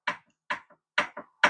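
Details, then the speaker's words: Yamaha YFZ1000R project engine torn down, loose connecting rod rocked by hand: four sharp metallic clacks about two a second from a rod bearing with a ton of play; crank barely rotates, engine likely to become the parts motor. "we kind of know what's going on with this one because the rod bearings have a ton of play in them there was one in particular hold on is it this that last one here"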